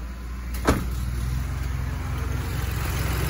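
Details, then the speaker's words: Car idling with the AC switched on. A deep, fluttering, helicopter-like drone comes from the AC condenser fan, whose worn motor bushing lets the fan wobble. Fix may be replacing the fan motor. "jadi itu ini kendalanya ketika mobilnya hidup dan ac-nya itu dihidupkan itu langsung terjadi atau muncul bunyi-bunyi yang tidak enak"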